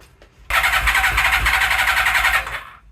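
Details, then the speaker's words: Suzuki Katana being test-started after wiring work: starter cranks steadily with a little choke, with a few uneven pops but no catch. Fuel in the carbs left from a bench test days earlier may be insufficient. "Definitely barked off a couple of times. Let me just open the tap a little bit more."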